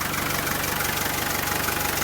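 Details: 1987 Land Rover Defender 110 12-passenger, recorded at the open hood: an even, steady idle with a regular low pulse and no knocks, misses or rattles, with no smoke from the exhaust. It is idling healthily.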